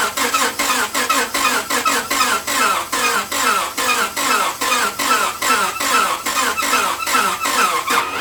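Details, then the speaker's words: Engine with extremely dirty oil cranking slowly on a weakening battery: sharp squeak each turn, about two and a half turns per second, with no knock. Owner suspects bad main bearings; unconfirmed. "And you can hear it squeaking, which is an indication it's squeaking and it's not knocking."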